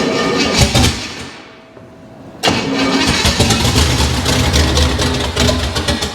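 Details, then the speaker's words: Junkyard 305, carburetted, first start, fuel primed into the carb: catches and runs rough, fades out and dies, then fires briefly again on the primed fuel; engine not getting fuel, though oil pressure seems present. "why is it dying You' think it wouldn't want that much [Music] fuel"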